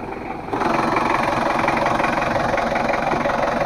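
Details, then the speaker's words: L300 diesel after engine rebuild with tested injectors, complaints of thick smoke, high fuel use and weak pull: harsh, uneven idle clatter pulsing about four times a second. Injection pump setting and timing are wrong. "adalah suara mesinnya kalau menurut saya sih enak tapi masih agak terlalu kasar suaranya terlalu agak kasar sedikit menurut saya"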